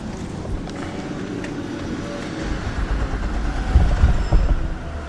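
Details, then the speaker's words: 2005 Nissan Altima 2.5 L, crank no start, IDPM and PCM already replaced, immobilizer suspected: starting fluid sprayed in intake, low cranking rumble then a few loud uneven chuffs as it fires a second and dies; spark present, fuel or injector pulse missing. "and it started for a second so we know we have spark"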